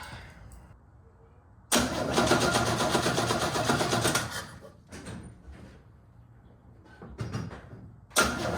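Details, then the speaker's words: 1969 Chevrolet C10 inline six, sat about 9 months, inline spark checker fitted: steady cranking for about 2.5 seconds, then short stabs, and it never catches. It sparked before but not after running briefly. Crank, no start, no spark. "But now, after it ran a little bit, it's not sparking anymore."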